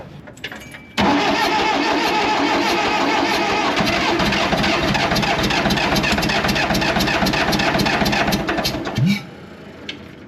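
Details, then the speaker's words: Allis Chalmers 644 articulated forklift sitting 10+ years, cranking on starting fluid with fuel confirmed at injector: steady cranking about four turns a second for eight seconds, never fires; low compression suspected. Cranking no-start. "so that brings us back to the previous thought of low compression just keep cranking on it with starting fluid and see if we can get it through"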